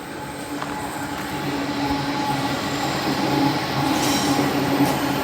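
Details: Sydney train on the sharply curved section between Waverton and Wollstonecraft stations: a steady high screech rises over the rumble of the passing train and holds through the bend; typical wheel-on-rail curve squeal.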